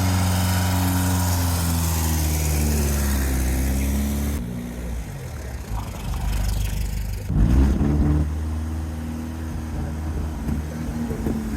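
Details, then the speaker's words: VW-engined sandrail dune buggy after 18 months stood, after the split vacuum hose was replaced with new pipe and a Jubilee clip: steady, even low thrum with a brief rev blip, all four cylinders firing, no misfire. "very happy. It is running really well. 4 cylinders now firing, which is fantastic."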